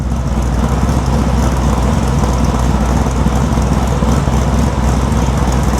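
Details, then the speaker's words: 1973 Chevrolet C10 Cheyenne Super 10 big-block EFI, quieter muffler fitted about 10 dB lower, camera at the back: a loud, deep idle with a dull bottom-end knock roughly four a second; owner thinks it is rod knock. "I know the camera's back there, but with a quieter muffler, this motor has a rod knock. At least that's what I think it is."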